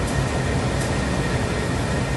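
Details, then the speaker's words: 2003 Nissan Pathfinder dash blower after blower motor resistor replacement: a steady, even airy rush with no rattle, squeal or surging. Fan speeds are controllable and it shuts off properly. "so now we can control the fan speeds and if we turn it off it should turn off which it did"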